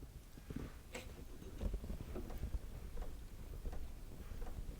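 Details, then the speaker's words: 2009 Honda Civic with creaking over bumps, raised on jacks: dry sway bar bushing rocked by hand gives only soft dull knocks and rubbing, no creak; lubed anyway. "okay there's one there's number two that's quiet that's actually quiet but we're going to lube them"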